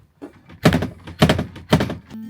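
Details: Campervan habitation (main) door fly screen rattle: three sharp hollow clattering bangs about half a second apart as the flexing screen smashes against its frame.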